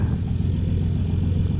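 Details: Old steel yacht's twin diesel engines, previously overheating, about to set off: deep steady rumble, even and unbroken, no knocks or misses, a touch louder than usual; exhaust water circulation perfect, running normally.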